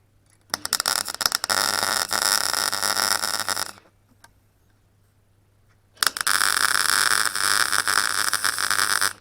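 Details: Clarke Pro 90 MIG welder, a beginner tacking and seaming a sheet-metal corner joint: two bursts of harsh, uneven crackling arc, about three seconds each with a pause between. The weld starts to sputter, so the welder stops.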